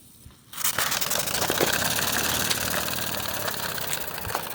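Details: Modified Mamod Brunel MK II steam engine after adding an exhaust adapter to fix the leak that blew out fire: steady steam hiss with soft, slightly uneven chuffs; runs cleanly without fire-blowing bursts.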